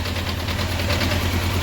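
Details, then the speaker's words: 1993 Honda CBR900RR in restoration, carbs unsynced: four-cylinder idle with low uneven rumble and faint rattle that goes away with clutch lever pulled in and returns when released; clutch or carb imbalance suspected. "Again, I'll pull it in, sound goes away, let it out, comes back."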